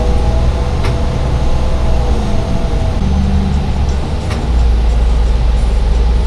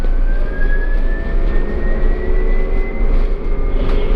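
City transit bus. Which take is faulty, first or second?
first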